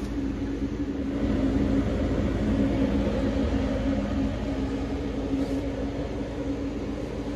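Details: Carrier 90-plus high-efficiency condensing gas furnace, 2006, likely never maintained, no-heat call at six degrees outside, fault code 32: inducer motor runs with rough coarse buzzing drone and uneven rumble, called trash and in bad shape; capacitor weak; noisy inducer motor.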